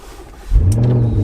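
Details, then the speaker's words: Audi RS6 (about 700 bhp) after repair, which had been struggling to start and running rich from fuel vapour via the PCV/breather: brief crank, catches at once and settles to a strong, even, deep idle; normal start. "Starts on the button"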